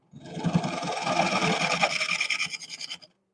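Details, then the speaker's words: Rough, choppy scraping with uneven bursts on a wood lathe: the bowl-turning tool chatters as it meets broken outer wood, pieces breaking off before reaching solid wood. "You hear that chatter? Hear that chatter? You see how the pieces are coming off and breaking up?"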